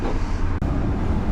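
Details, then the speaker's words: 2005 Ford F150 after break-in, ignition wiring repaired and battery previously dead: fired right up, steady even low rumble idle with no misses or knocks; running normally, possible blown fuses suspected. "Oh, look at that. Fired right up. I can't believe that."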